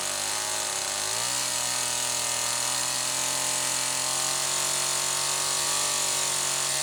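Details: Homelite XL-2 chainsaw after bar maintenance, test run checking oiler: steady high-pitched two-stroke buzz holding even revs after brief pickup, no misfire or stumble; sprocket somewhat worn and noisy; normal running.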